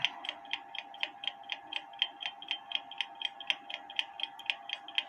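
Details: Kienzle carriage clock (made 1898–1923), not working before, movement cleaned ultrasonically and hairspring collet turned to set beat: crisp, evenly spaced ticks about one per second with no limp; clock now in beat.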